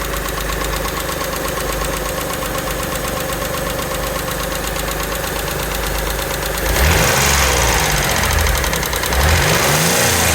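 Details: A Mitsubishi 3000GT V6 at idle gives a light, fast, even tick of about three or four per second over the engine hum. Hydraulic lifter tick.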